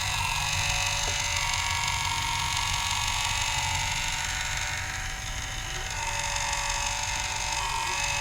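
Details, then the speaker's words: Culligan Gold Series 9 water softener with error 1H, regen cycle running: rough creaking whir as the drive turns all the way around but still strains; needs greasing with non-lithium grease. "now you can see the whole thing spinning and there was some pressure but that's probably released it and you can see how it's now spinning all the way around and you can hear that it's still straining listen to it"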